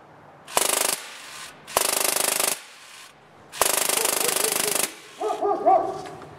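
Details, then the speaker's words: Drozd BlackBird with upgraded magazine on added battery stack, full auto at 1,600 rpm (rounds per minute): quick even bursts starting and stopping cleanly, cycling really well. "That's cycling really well. Now let's bring it up to 1,800 rounds per minute. A little bit of air shots in there."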